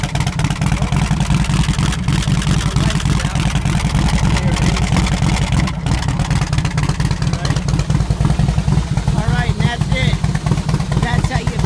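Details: Harley-Davidson Softail after repairing the ignition switch (corroded contact, one off its spring) that had caused no power and no start; fuel pump now primes. Deep, even exhaust rumble with steady firing and no misses; running normally.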